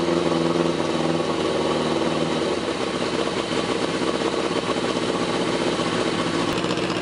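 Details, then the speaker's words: 1981 Suzuki GS850 four-cylinder after exhaust finished, temporary hacked ignition wiring; carbs untuned and unsynced, timing unset. Slight early stumble then smooth, even firing at fast idle, no knocking; sounds pretty good, normal running; owner thinks new ignition system needed. "yeah I think it sounds pretty good considering the fact that I have not tuned the carbs I haven't synced the carbs I didn't even set the timing with the light or anything"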